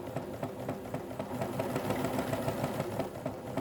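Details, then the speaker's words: Vintage Janome sewing machine from an e-waste drop-off, powered up and run via the middle controller (foot pedal): light, quick ticking at about three and a half stitches a second over a soft motor hum, even and free; runs beautifully smooth, normal running. "I'll put my hand on the middle controller and see if as she runs beautiful nice smooth making him there's a pretty good quality machine"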